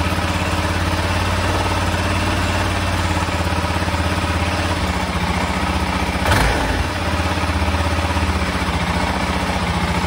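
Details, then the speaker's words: 1996 BMW F650 Funduro single-cylinder idles steadily while warming up, with an even beat and no misfires or hunting, after the carbs were rebuilt and refitted; sounds much better, normal idle. "that sounds much better so i'm going to give that a go now and see what happens"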